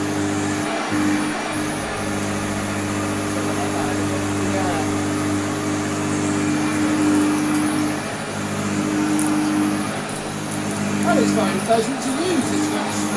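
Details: Goblin (BVC) 10283 EaseElec vacuum cleaner fitted with new Hoover Junior flat belt: even, steady motor hum with constant brush-roll whirr, no knocks or slapping; normal running.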